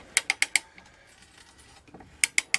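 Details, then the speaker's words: Restored 1890s T-handle ratchet brace cutting a thread with a large tap in a board: two crisp runs of four sharp clicks, about eight per second, with a gap; healthy pawl working cleanly under load. "that lovely noise. You know what that is, right? That's the sound of success."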